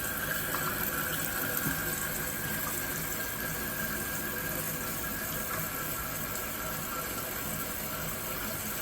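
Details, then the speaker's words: Kohler toilet after replacing a squealing fill valve: steady rushing hiss of water refilling the tank, even throughout with no squeal or whistle; new valve working normally, though float height later needed lowering. "See, the valve itself is filling up the tank, and this hose is to fill the bowl, which the bowl is already filled."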